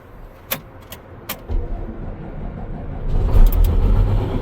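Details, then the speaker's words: Claas Lexion combine diesel started after service and an oil filter cap refit, meant to be run to check an oil leak: a few clicks, then it cranks and catches within seconds into a deep, steady rumble. It still leaks, so a new oil filter base is needed. "Starts good."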